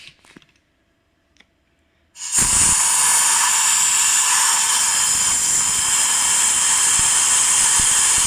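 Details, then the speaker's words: Cylinder head leak test after repair: quiet, then a sudden steady loud hiss of air past closed valves; most intake and exhaust valves leak at their seats, exhaust valve 3 the only exhaust valve holding. "Все впускные практически все пропускают. Теперь выпускные посмотрим. Это после ремонта."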